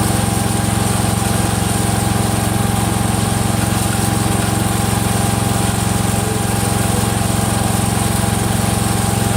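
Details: Freshly rebuilt Kohler single-cylinder engine in a Cub Cadet 102, steady idle with a quick regular tick nearly four a second from the front pulley coming apart, not the rod.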